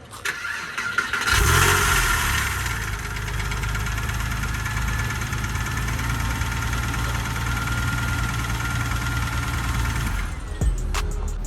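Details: Porsche 996 911 with about 20,000 miles, auction purchase, first startup: engine catches and settles into a rough idle with an irregular tapping running through it; knock of unknown origin, owner fears a bad engine.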